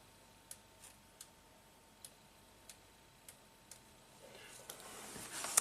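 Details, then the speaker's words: 2008 Saab V6 turbo with code P0203 and a cylinder 3 misfire: key on, cylinder 5's injector control wire grounded by hand gives crisp, normal clicks as a known-good reference. Cylinder 3's injector driver in the engine computer proved dead. "so cylinder number five if I ground it out look at the scope you hear a click very good let's do number three"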